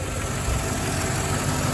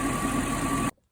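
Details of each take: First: Mercedes E420 V8 idling after reassembly: light, fairly quick ticking over a steady low rumble from the top end; noisy lifters suspected, not confirmed, and the tick persists as before. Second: Mercedes E420 after the noisy-lifter fix, original cam oil tubes kept: smooth, even idle with a steady hum, only injectors audible, no valvetrain tick.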